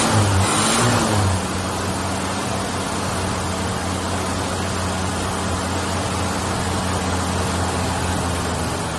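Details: '83 Ford Ranger 4x4, first start in about two years after new battery and priming the carburetor: catches with a brief rev, then steady even four-cylinder idle, no knocks or misses.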